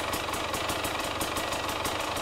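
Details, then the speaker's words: KTM/Husqvarna TPI two-stroke dirt bike idling roughly, crackly beat stumbling, from the classic crankcase pressure sensor issue: dirt past the green O-ring fouls crankcase/ambient pressure sensors, upsetting the ECU; fix is cleaning the sensors. "maintenant, si cela ressemble à votre vélo et que vous rencontrez le même problème , prenez votre kit de nettoyage préféré avant de commencer à dépenser de l'argent, car ce que vous allez faire, c'est - vous allez défaire le vélo et vous allez nettoyer vos capteurs !"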